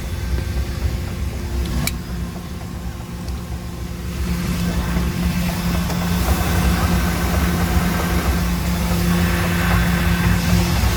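Steady low idle with a dull, fairly regular knock about four times a second riding on it; a knocking engine, cause not yet clear.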